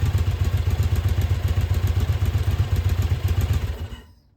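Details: Yamaha Virago 1000 V-twin, first start in about a year during restoration, with new starter and all new intake and exhaust gaskets: even, steady thump at about four beats a second, no knocks or rattles, then shut off; runs like new.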